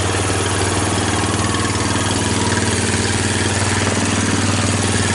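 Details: Steady single-cylinder putter of about three beats a second, holding even without stumbling, on a 2000 Kawasaki Lakota just started after taping up a broken fuse holder blamed for intermittent stalling and starter issues; idles fine.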